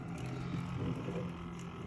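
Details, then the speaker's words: EVGA 750 W power supply on a test bench, before its fan was replaced: a loud, rough low whirr with a buzzy, uneven edge that worsens over time into a rattle, as if hitting the enclosure. The fan bearing is worn out. "and you can hear it's loud from the gecko and then over time it actually starts rattling kind of sounding like it's hitting the inside of the enclosure but this fan bearing is just screwed"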